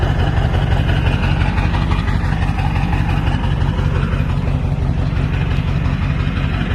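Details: 1999 Ford F-350 crew cab dually diesel, ZF6, about 299,000 miles, resealed engine, new water pump and thermostat; deep even diesel idle clatter, steady rhythm, no misses or knocks, sounds healthy.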